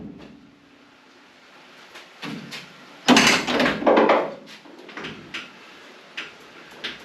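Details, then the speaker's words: 1978 Chevy K5 Blazer tailgate being lowered after assembly: thuds, then sharp, light, repeated metallic clicks as it moves, even after greasing; the clicking is suspected to come from a pivot underneath that still needs grease. "Even with that grease, you hear that click click click click."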